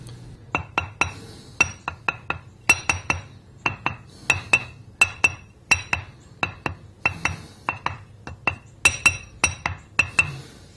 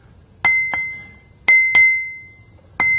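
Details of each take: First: notice how dead the sound is there's no ring to it no crack with a crack and here's the crack that's stopping those sound WS from radiating around the stone to produce the ring Second: Ring test on a bench grinder wheel hung on a small support: six light taps about 45° either side of the centre line, each leaving a clear high fading ring, meaning a sound, uncracked wheel.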